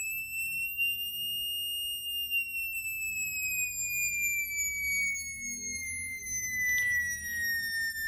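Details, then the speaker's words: Jensen V21 upper horn driver bench-tested on a Leslie 22H amplifier: a clean single tone glides slowly downward, checked across frequencies for buzzing, with no buzz or rattle riding on it; the driver reproduces it cleanly, normal response. "so in terms of the up of that that up a driver is this business sounding good yeah you're sounding good"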